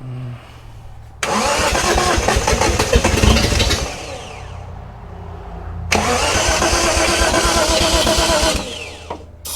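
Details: 1971 Datsun 240Z during restoration first start, fuel just reaching the filter and carburettor bowls: two long cranking bursts with ragged catching and dying between them; engine won't pick up, sounds fuel-starved. Hard starting, cranks and stumbles.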